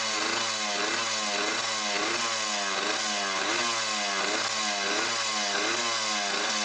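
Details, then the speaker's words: Suzuki RMX 50 two-stroke after fitting new exhaust pipe and muffler: crisp regular burble at steady speed, even pulses with no misses or rattles; sound level meter shows no difference between pipes; running cleanly. "Okay, well here I have the sound level meter in place, and I'm not seeing any difference with one sound pipe or another."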